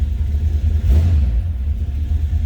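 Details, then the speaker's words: 1963 Chevrolet Nova 2-door hardtop with a 350 V8 and manual choke: a deep, steady low rumble with no knocks or ticks as it settles into idle after starting, a normal idle. "Nice sounding car. Slip around to the back so you hear it run."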